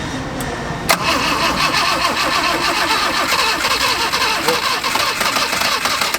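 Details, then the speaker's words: 1979 Honda Accord barn find, after fiddling with the choke flap: starter churns steadily for several seconds, engine half-catches but won't run; carburetor problem suspected. "Là elle veut démarrer là. Là, elle veut. Là, elle veut démarrer. Allez! Mais il y a encore... Donc il y a un problème de carbu."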